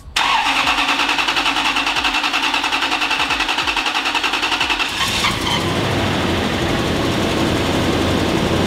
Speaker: exhaust sounds sounds loud sounds raspy but i think it'll be perfect maybe we'll see ah it kind of sounds like one of the leaned out trucks just like needs cats honestly that's what it needs